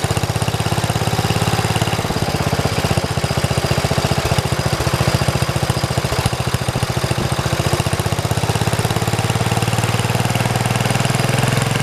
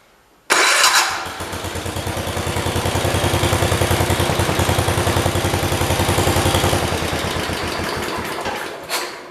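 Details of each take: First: 1973 112 tractor: single-cylinder beat stumbles with skipped firings when the clutch is pushed, then smooths out. The misfire was caused by a loose wire touching ground and sparking. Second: 1973 112 tractor after tightening a loose part, aimed at a misfire: it catches quickly and runs an even beat of about 3.5 pulses per second with no skips. The miss is gone, though it started rough after sitting an hour.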